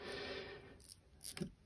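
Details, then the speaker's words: KastKing Valiant Eagle 2 BFS baitcasting reel, new out of box: star drag turned produces a few sharp irregular clicks only at certain points, no clicker fitted; intermittent drag click of unclear cause. "sn't at certain point you get a sort of clicking I don't know if you can hear this"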